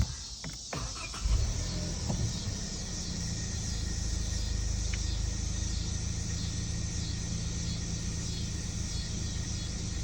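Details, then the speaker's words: 2018 Kia Sportage 2.0 turbo, just after restarting from a stall and limp mode, high-pressure fuel pump already replaced: revs hunt and climb slightly over a low rumble, slight detonation-like running, nearly stalls again; cause still unknown. "пригать обороти буквально трішки машинка як будто би трішки детонує"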